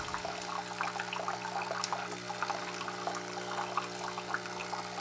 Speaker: that noise is the pump below, which is pumping out the brew.